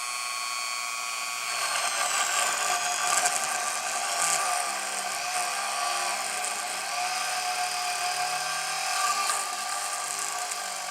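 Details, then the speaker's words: Engindot rotary tool on low speed drilling into wood: the high whine sags in pitch as the bit bites, then partly recovers; the motor bogs down under load. "started bogging down a little bit. I'm gonna put it on high."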